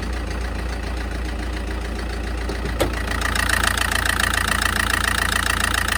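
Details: SsangYong diesel at idle: steady idle with a sharp, regular clatter about 214 knocks a minute, louder partway through; pronounced diesel knock, suspected bad injectors, not confirmed.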